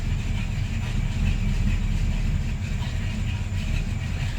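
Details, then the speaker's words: Buick Regal project car engine running after the build: low, loping idle with a slightly uneven beat, around 500 rpm on an unverified cheap tach; much better than before but the owner thinks the carburetor still needs adjusting. "still think I need to mess with the Carver a little bit but it's a lot better than it was before"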